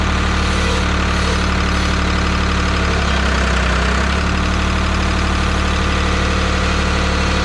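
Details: 1985 Ford 545A backhoe, 3-cylinder Ford diesel, cold start after rebuilt injector pump installed: even idle about 200 pulses a minute, deep rumble, no misfires; runs good but hydraulic pump very slow; normal diesel idle.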